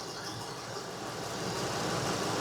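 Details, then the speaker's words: 2019 Ford F53 6.8 V10 gasoline after repair of cylinder 4 misfire (P0304) and shaft noise: steady even idle with soft hiss, no stumble or missing beat; running healthy. "pueden ver Bendito sea Dios el motor está trabajando bien Ahí está listo Ahí está no hay Che el prendido todo está"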